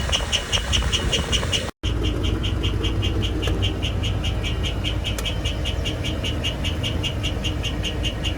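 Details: 2004 Holiday Rambler RV with 8.1 Vortec V8, 60,000 miles, idling: sharp chirp about 2.5 times a second that starts after about 5 minutes of warm-up and seems quieter at higher rpm. No visible exhaust leaks; later reported solved, cause not stated here.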